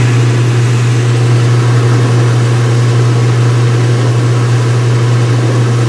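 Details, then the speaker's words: Speed Queen washer, front panels off, white bed sheets, on wattmeter: high-speed spin settling around 500 watts, steady low hum, even whir, no knocking or scraping; normal. "All right, guys, and this is what this looks like at high speed."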